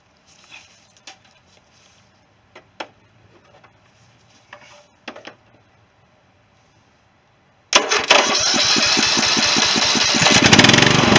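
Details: 16.5 hp Briggs & Stratton single-cylinder engine, destined for a John Deere mower swap replacing a 15 hp Kohler, started on a borrowed battery: a few quiet clicks, then it catches at once and settles into a fast, even run; normal start.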